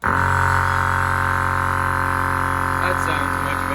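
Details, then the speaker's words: Air Zenith air-ride compressor after teardown and repair; its wicked noise was suspected to be a worn piston rod bearing: steady, even hum, constant pitch, no knocking. Runs smoothly now, but the pressure switch fails to shut it off. "other than that compressor sounds much better now so that's a plus"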